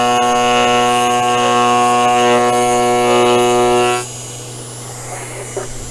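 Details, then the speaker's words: Sainsmart CNC 4040 Pro as overhead router, Z axis moving down into the cut: steady high whine holds pitch through the cut without sagging, then drops away as it stops; spindle cutting easily. "Okay, and as you can see, that's just started to take it off. We're nice and sweet on the cut, no effort,"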